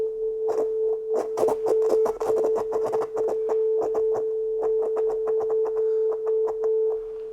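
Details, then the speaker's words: 30-year-old Soundtracs Jade 32 analog inline mixing console, channel 6. A steady tone breaks up with irregular crackle and dropouts that ease once the control is worked. Oxidation on the rarely used end of the gain potentiometer is suspected. "here we have some strange things and it's the same thing there that it's start with only crackle and if we just work it and let enough signal pass it then it's like it's loosen"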